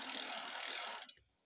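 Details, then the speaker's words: Bike with assembled rear-axle 2WD double-ratchet freewheel: fast dense high-pitched ratcheting buzz while coasting, quiet under drive; loud freewheel pawl clicking. "you got double ratchets look at the noise so when you're coasting it's Ruddy noisy that's awful when it's under drive it's quiet"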